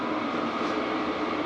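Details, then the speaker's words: Cheap Chinese diesel heater retested with timber blocks removed: steady whirr with thin high tone and rough edge; something not right, owner suspects the fan rubbing its casing, later raised on even blocks and exhaust re-bent for clearance. "can hear that definitely something not quite right"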